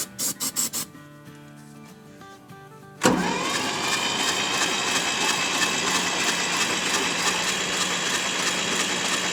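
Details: Kubota diesel tractor with top end torn down over a suspected blown head gasket or leaking valve seals, cranked after reassembly: after some music the starter spins it fast and evenly without firing; no compression, valves set with zero clearance and held open.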